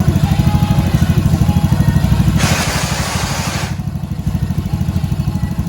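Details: Honda Vario 110 scooter that runs sluggish and uses excessive fuel, after throttle body refit: steady but uneven, slightly lumpy idle; tampered spliced wiring suspected behind rough, rich running.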